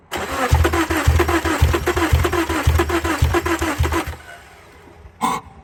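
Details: 2002 Subaru Impreza RS 2.5: starter turns engine in even pulses about two a second for four seconds, never catches; new battery, good alternator, new plugs and crankshaft sensor; smells of gas, owner suspects flooding.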